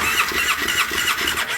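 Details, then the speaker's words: 2009 Polaris Sportsman 800, sat about six months, no fuel from failed fuel pump, pump replaced: quick cranking pulses with squeal and sputter, needs throttle, never settles; struggling to start, more wrong than the pump, likely sat longer. "i'm gonna give a little throttle here with my camera hand there we go yeah she is definitely not happy"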